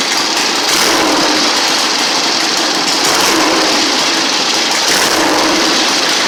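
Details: 1960 Harley-Davidson Sportster Ironhead, unused since 2010, running after magneto points/condenser check, carb service, fresh gas, timing and points set: steady, even rapid beat with crisp mechanical clatter, no misses or stumbles; normal idle.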